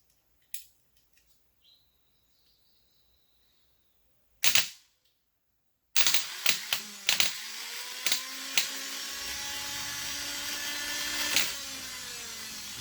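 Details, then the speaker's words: 2005 Kawasaki Mule 3010, old starter removed and bench-tested on the starter cable (12.24 V): a few sharp snaps as the leads touch, then a steady electric whir. The starter spins freely and works. "see it works just fine jumping around a little bit made it disconnect but it pretty much starts as you can see"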